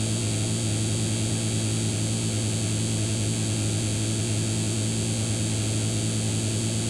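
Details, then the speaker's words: PC speakers fed through an amplifier with the volume raised and no audio playing, while the computer works under load: a constant loud buzz with a strong low hum near 100 Hz and hiss. The owner suspects hardware audio interference. "Questo è proprio il suono del computer che esce dalle casse adesso mi faccio sentire anche il computer mentre fa un un determinato lavoro"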